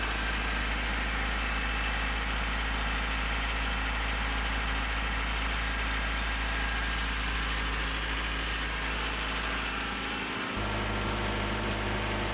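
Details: Honda CRX with new aftermarket fuel tank and Walbro 255 fuel pump installed: steady, even low idle hum with a smooth, unchanging rhythm and no knocks or misses; normal idle.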